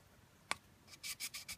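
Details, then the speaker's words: Toyota 7AFE cylinder head, valve lapping of the valve against its seat after pitting was seen. Soft, even swishing strokes with no gritty grinding show a good valve seating smoothly. A bad one makes a grinding noise like rocks. "and also you can hear when a valve needs when a valve is good it's soft like that"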